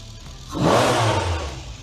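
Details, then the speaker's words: Training engine with a diagnostic fault box, key on with the fuel pump energizing: it catches quickly, flares once and settles into a smooth, even idle with no miss or knock; normal start and idle. "you turn the key and the vehicle actually run okay so we can run this vehicle"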